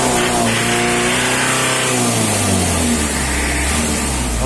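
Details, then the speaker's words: Mitsubishi L200 diesel after a performance tune-up: engine rises and falls smoothly through the revs with no knock, misfire or hesitation; sounds clean after tuning. "Oke Guys kita simak L200 oleh sudah dicentang Balisa bunyinya sudah enak seperti mentari pagi guys"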